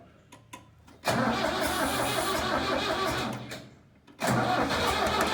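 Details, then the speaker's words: Diesel tractor abandoned three years in a meadow, old battery, fuel line and fuel pump issues: two long cranking bursts with even starter churn, never fires; fuel starvation suspected, fuel possibly evaporated or leaked out. "okay I think he might be out of fuel out of yeah it evaporated over two years right or leaked out that it's probably where all that uh running down the side is"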